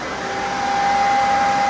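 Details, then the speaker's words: Z2H8 drag car Camaro after a complete rewiring, engine not started yet (plugs out): steady rush of air with a constant high motor hum, no rattle or scraping, as the engine and trans cooling fans are switched on; normal cooling fan operation. "engine fan all right it's the engine fan oh I hear the engine and trans fan now"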